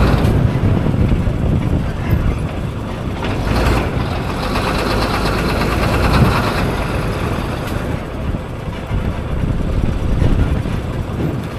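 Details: Diesel engine at idle: deep rumble with uneven clatter that comes and goes, the inconsistent sound suggesting failing fuel injectors knocking.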